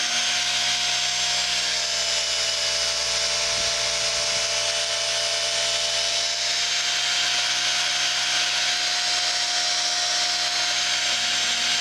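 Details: Work Sharp knife sharpener after gluing the shattered idler wheel back onto its bearing: a steady high motor whine with an even pitch throughout and no knocking or slipping; running smoothly.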